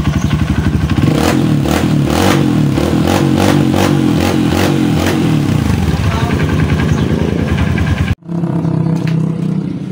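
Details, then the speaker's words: Honda CRF150 after oil-starvation top-end rebuild (rocker arm, cam, valve guide); sharp uneven ticking puff over the single's beat as it revs and settles, from exhaust leak at header with gasket missing, sounding bad. "Meron lang singaw na part dito sa kanyang exhause. Aan wala na fiber yung kanyang sa tabutso. Hindi maganda yung tunog."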